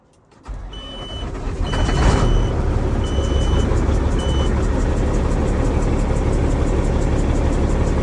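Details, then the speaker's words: Kenworth W900 diesel, first start after roadside turbo replacement: cranks, catches and builds to a heavy, slightly uneven idle roar, rough at first then smoothing as it idles. "doesn't sound normal to be honest sounds like uh sounds like she's hurting somewhere oh it's getting a little better sounding a little better now sounded rough at first"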